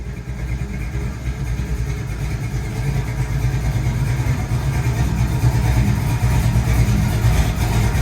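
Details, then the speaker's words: 1991 Chevy S-10 with a 355 forged small-block V8 and Holley carburetor, after a stumble fix setting initial timing to 40–42° and adjusting the idle mixture screws: steady, even rumble building with throttle, no misses. Runs much better. "what do you think chief runs much better"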